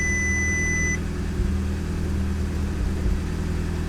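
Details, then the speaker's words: Audi S3 8P after runner flap delete without remap, cold start: petrol engine idles low and uneven with brief stumbles, a constant cold-start misfire. "it's constantly going to be misfiring our cold start"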